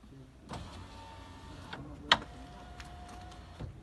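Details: Volvo S40 power window after the glass-sizzle fix: two smooth, even runs with a steady motor hum, a click between them, and no sizzle or scraping.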